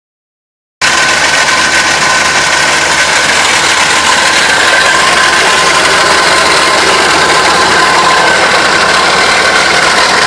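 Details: 2006 Dodge Ram 2500 engine with a harsh, noisy idle: fast, uneven clatter under a loud hiss; abnormal idle noise.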